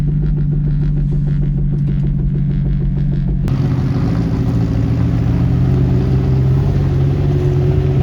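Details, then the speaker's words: Turbo Honda S2000 driving up a muddy lane on its failing rear differential before replacement: heavy low drone with clunky rumble under the engine, growing with load; worn diff bearing. "oh listen to that thing that thing is making so much noise i'll rip my freaking tires freaking mud everywhere oh listen to that diff"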